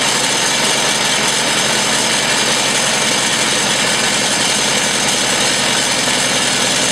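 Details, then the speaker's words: Old Massey Ferguson MF 50 tractor after a -8°C cold start and carb adjustment (one full turn) to cut fuel odor: steady, even idle, smooth busy exhaust note, no misses or knocks; running really good. "it's running really good sounds nice doesn't smell too bad"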